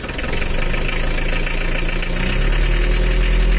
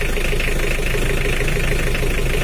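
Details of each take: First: Old Mitsubishi L300 diesel at idle: uneven, lumpy, knocking clatter. Inspection found a worn timing gear (equivalent to jumped timing at top) and worn camshaft lobes shifted some millimetres, causing the rough sound; both are to be replaced. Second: Old Mitsubishi L300 diesel, cold, idle slightly raised: steady, even low rumble with no stumble or miss. The earlier limp is gone and it sounds better than before.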